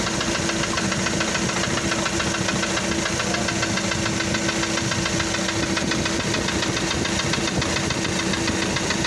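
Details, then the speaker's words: Diesel engine idling in a vehicle being inspected for motorhome conversion: a dull, regular knock about twice per second from down low near the crankshaft. A knock that persists until the engine warms up is not normal. "muchos le van a decir no este ruido es un golpeteo Hasta que el motor levanta temperatura no es normal"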